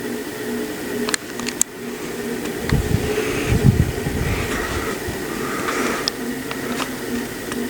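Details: Antique brass Harbor Breeze Marco Island 52" ceiling fan in a bedroom, filmed July 2023: steady low electrical hum with faint whirr whenever running; motor very noisy but still usable.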